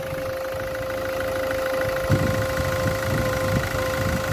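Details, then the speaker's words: Ford Focus 1.6 at idle: a steady honking tone around 500 Hz, like a trumpet, comes from the coolant expansion tank as pressure builds in the cooling system. The owner suspects a head gasket, and mentions the EGR cooler; unconfirmed. "Ford Focus strange noise coming from editing sounds like a trumpet possibly head gasket problem"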